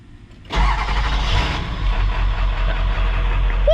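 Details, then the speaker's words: 7.3 diesel with a new XDP gear-reduction starter, new battery cables and wiring harness, in roughly 108° heat: a brief fast crank, then it catches almost instantly into a steady idle. Normal hot start. "that is quick that's a hot start too"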